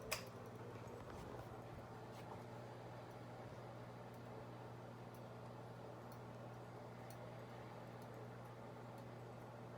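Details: 52-inch Harbor Breeze Builders Best ceiling fan from 2004, apparently on low speed, turning far too slowly: steady low electric hum with faint irregular ticking; bad capacitor suspected.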